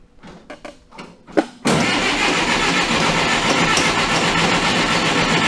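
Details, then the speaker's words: Oliver Super 55 diesel tractor after re-sealing its American Bosch PSB4A injection pump, fuel at three of four lines, manifold heater used: a few cranking chugs, white smoke, fires right up into steady strong idle. "I can smell diesel apparently I understand you crank it long enough I shut the camera off that back down hit the button it creaked over like three times I had white smoke and it fired right up go figure"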